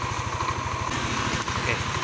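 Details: Yamaha NMAX 155 (old model) after repair of error code 61 idle speed control fault: quick, even single-cylinder putter at steady, smooth normal idle.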